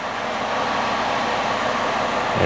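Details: 2009 Ford Escape six-cylinder (about 3.0 L) with an intermittent misfire, idling after intake work: steady, even smooth hum with no stumble or miss, flat power balance.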